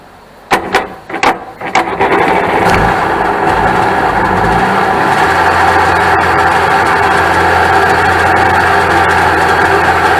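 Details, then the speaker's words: 1996 Sea-Doo SPX 717 two-stroke, yard-sale jet ski, running premix with oil injection still connected: clicks and spins, then catches to a loud, buzzy idle held way too high; smoking heavily. "it runs but this Outlook way too high I thought it was gonna jump off the trailer why is it held up so high"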